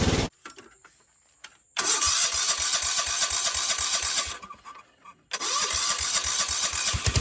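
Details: Cheap non-running riding mower started with brake pressed, in neutral: starter cranks, engine catches into quick steady putter, cuts out briefly, restarts and runs evenly; carburetor float bracket broken, so tuned with fuel cutoff valve.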